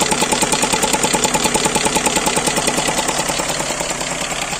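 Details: GAZelle Business with Toyota 5VZ-FE V6, warmed up, knock appearing about a minute after restart: steady sharp ticking about 2.5 per second over even idle; owner suspects an air leak after the throttle body, not confirmed.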